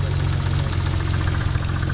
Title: 3000gt spun Bearing???